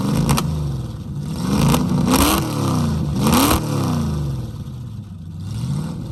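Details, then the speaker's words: 1969 Mustang V8 after sitting 15 years, vacuum advance just reconnected, rusted leaky mufflers: revs up and down with a lumpy, uneven beat; running better but rich, not yet hot, plugs and wires suspected. "yeah well it's running better I've been pretty good it just needs to get hot break everything loose running pretty rich"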